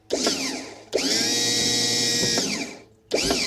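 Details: New SEI trim pump for a 1976 StarCraft with Mercruiser 120 hp, bench-run independent of the boat: bursts of steady high electric whine, even pitch, clean starts and stops; trim pump motor running normally.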